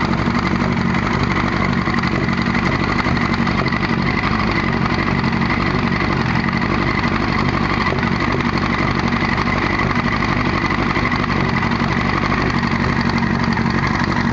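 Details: 1998 Yamaha R1 idling with the clutch cover off; uneven knock about four a second seeming to come from behind the clutch; owner suspects a wobbling chain, others suggest valves, cam chain tensioner or clutch gasket; cause unclear.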